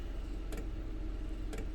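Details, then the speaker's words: Maxpeedingrods 2 kW 12V diesel air heater in a camper van on low after about 10 minutes, outlet high 60s to low 70s; soft crisp fuel pump tick about once a second over low steady blower rumble; normal slow fuel pump ticking. "Hear how slow that fuel pump is."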